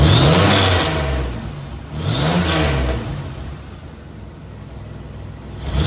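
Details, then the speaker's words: 2000 Chevrolet Camaro, revving with AC off: loose metallic rattle rising and falling with revs from the remanufactured AC compressor; it stops when the AC clutch engages; AC compressor clutch rattle. "so that got awful noise you hear right there that's the AC compressor the brand new AC compressor well brand new remand AC compressor that rattles when it's off I turn the AC back on that rattle goes away see when the clutch engages it's fine when it's not engaged it makes that noise"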